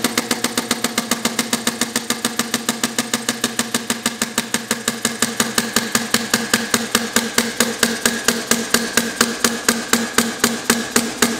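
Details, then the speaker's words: Compressed-air inverted hit-and-miss model engine (1 in stroke, 1.5 in bore, quick-release air-gun valve, no governor yet, straight 4-stroke mode) running wide open on about 100 lb air; crisp, evenly spaced puffs four to five per second, steady; normal running. "that's running wide open on about 100 lb pressure of air slow it down a little bit"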